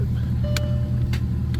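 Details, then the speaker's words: Mercedes CL500 with a fairly new Bosch OEM starter, after swapping back to the original key: steady low hum with a sharp click about every half second and no cranking. Cause unknown; starter or ground fault suspected, and smacking the starter didn't help. "So, that's what I was getting before I blew the fuse down there by swapping the relays in the engine bay. The starter was replaced a while back with a brand new Bosch OEM unit."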